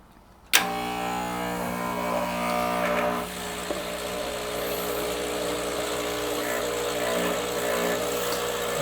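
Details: Rancilio Silvia single-boiler espresso machine at first startup, cover off, steam valve open, hot water switch on: sharp switch-on, then a buzzing pump hum that changes tone when the hoses are squeezed as water flows. Pump priming normally.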